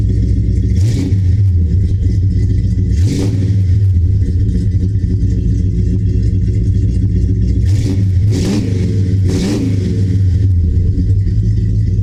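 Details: 1970 Dodge Charger, 383 big block V8, after installing Flowmaster American Thunder exhaust with Super 40 mufflers and H-pipe: deep loud even idle with five sharp throttle blips rising and falling cleanly, no misses or rattles; healthy.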